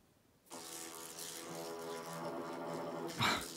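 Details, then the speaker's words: Cycloidal drive on a NEMA 23 stepper motor at low speed, about 75% max current, 20:1 reduction: gritty insect-like steady buzz from a hastily built stepper driver, not the gear mechanism. "And that extra crunchiness you heard there, that was not the mechanism. That's just the driver. I just threw this driver together, and it, at lower"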